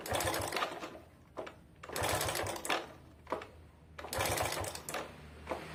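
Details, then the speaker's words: Suzuki Vega ZR motorcycle that had been smoking, kick-started without firing: harsh clattery bursts about once a second; worn cam chain tensioner plus rod play and worn rings. "Jadi memang kedengaran suara ngeclek di motornya."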